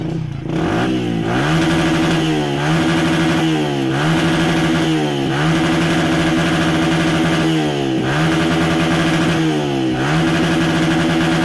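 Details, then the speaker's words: 2014 Yamaha Vixion, complaint of stumbling when pulled to high RPM: repeated throttle blips each climbing then sagging and breaking up near the top instead of revving cleanly; fuel injection about to be checked, cause not yet confirmed. "Soalnya ini pasti gas tadi Brebek Brebek S3 RPM tinggi dia malah berbuat ya nggak normal"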